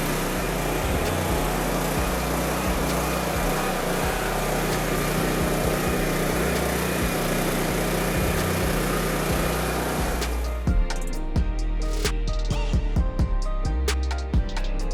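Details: Honda EB3500 generator, revived and refuelled, first run; steady, even engine drone holds one speed without hunting or surging, running normally.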